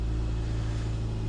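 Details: Car that often wouldn't start after a tune-up, first start attempt after a baffling no-start fix, fuel pump heard priming: steady, even low hum with no misses, knocks or rattles, settling into a smooth, healthy idle.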